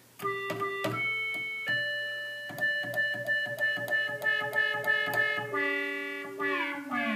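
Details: 1976 Octave CAT analog synthesizer after repair: clean sustained notes with solid low sub-octave and sliding pitch sweeps, no dropouts or buzz; VCO1 sub-octave works, earlier absence was due to VCO2 sync being on.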